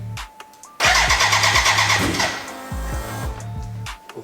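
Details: BMW K100 café racer build, start attempt with fuel delivered, choke on, spark present: starter spins at even crank rhythm, no combustion; smoke and fuel leaking from exhaust, first injector leaking, flooding.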